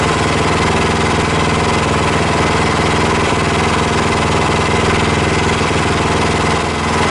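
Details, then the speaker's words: Predator Hemi 212 single-cylinder on a Mega Moto mini bike, just fitted with a Tillotson TFB carb, idle turned down a hair: steady, even idle, smooth regular putter, no misses or knocks; exhaust shakes a lot, needs support bracket; initial success. "that sounds good I'm extremely happy with that uh a lot of Shake in the exhaust we're going to have to put that support bracket on there for sure"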